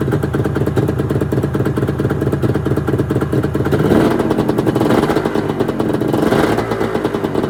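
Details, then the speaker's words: 1996 Arctic Cat ZRT 600 two-stroke snowmobile, cold start after fuel pump rebuild, fuel shut off overnight: crisp rapid idle beat, clean revs and back down, no bogging or misfire; normal cold start and running. "Today I'm gonna give it a cold start. Shut the fuel off yesterday, turned it back on today."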